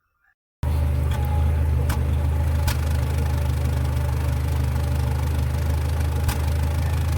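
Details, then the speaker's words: Nissan Platina at idle, customer reports power loss and shaking at stoplights, backfiring through exhaust; stumbling idle with sharp pops, misfire suspected from a spark plug or coil though scanner shows no misfire codes, only immobilizer and sensor-supply short codes. "miren parece que está aventando pues balazos amigos y el detalle está que no nos marca nada"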